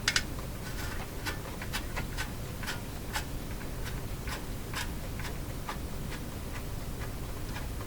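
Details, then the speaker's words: Philco 48-1826 console radio during dial string installation: faint irregular ticking creaks, about two a second, over a soft hiss as string tension rises sharply. Dial string stuttering creak, cause not confirmed. "that creaking sound sounds like the she just going to blow any minute tension went way up right at the end there"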